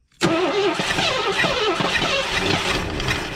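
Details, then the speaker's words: 1984 Ford Thunderbird 5.0 sitting for years, fuel poured down the intake: cranks, catches and speeds up briefly, then stumbles and sputters as it dies; fuel starvation at injectors. "we're just gonna drop a little bit of fuel down in there and uh just see if she'll bark i think she's got fire she sped up"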